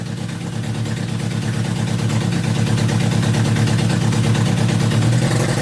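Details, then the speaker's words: Honda Civic EF with a K24 swap on a standalone ECU, ignition problems found in software: low, lumpy running at about three pulses a second that barely swells under throttle and won't rev. "Tapi, seperti tidak ingin ditinggalkan oleh kita, mobil ini justru masih tidak mau digas. Kita coba untuk melakukan pengecekan di software, ternyata ada beberapa masalah di bagian pengapiannya."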